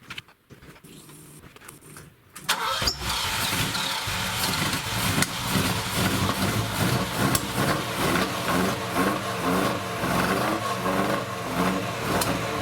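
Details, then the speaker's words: Ferrari 308 GTS bought at auction as a non-runner, after cleaning the idle jets and a worn distributor cap: the starter catches after a pause into a lumpy, uneven idle; the owner suspects it is flooded and may clear. "okay it's I think that's also because flooded and back surrounded so if it gets cleared out I think that will"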